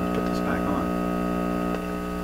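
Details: Telefunken record changer with a vintage cartridge: a loud, steady low buzz with a bright edge that grew louder when a cartridge wire was pulled off, letting mains hum into the phono input. Mains hum from open phono input.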